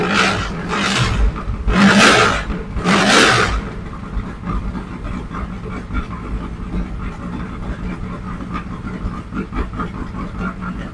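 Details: 1967 Mustang fastback (Shelby GT500 style) V8 before repair: fires and revs in bursts then drops to uneven stumbling idle; rough running later traced to valves set with zero lash.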